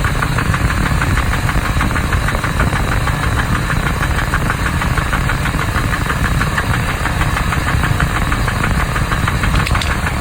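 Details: 2001 Ford Expedition idling petrol engine: rapid, regular knock tapping over the idle, keeping pace with engine speed.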